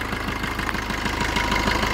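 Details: Maruti Vitara Brezza diesel, restarted after its EGR valve was cleaned and checked for leaks: even idle with a steady chug and no extra knocks or rattles, smoother than before; normal idle.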